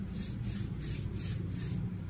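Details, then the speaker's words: Phrozen Sonic Mini 4K resin printer's original linear guide block slid back and forth: harsh rasping from rough, gritty ball bearings, which cause wobble lines. A HIWIN replacement rail and guide runs quiet and smooth. "and this is highway you could hear the difference the ball bearing is very noisy here and it's quiet and very smooth using high wind"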